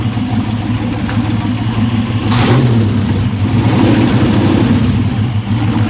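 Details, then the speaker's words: Aluminum 6.0 LS V8 (Gen 4) on a run stand with mufflers, test fire after the oil was checked; deep, steady run with a rev blip, earlier top-end noise quieting down and basically gone as oil reaches the valvetrain; sounds healthy. "But it's definitely, the noise is definitely quieting down. Oh, it's basically gone."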